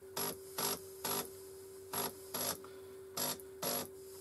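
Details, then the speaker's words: Stepper motor moving the tonearm carriage of a DIY 3D-printed cylinder phonograph, recorded before microstepping was enabled on the controller: a steady mid-high whine with loud buzzy bursts, noisier than with microstepping. "um i've turned on micro stepping down here on this controller um and it's a lot less noisy than it was in fact i'll try and insert some sound of just how noisy it was before"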